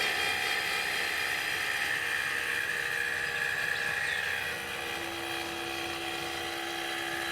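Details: Eco-Worthy solar sun tracker actuator, no panels fitted, travelling from full west to full east (about 30-34 seconds) during setup timing: steady high-pitched motor whine with fine gear buzz, even, dropping slightly in pitch; normal travel.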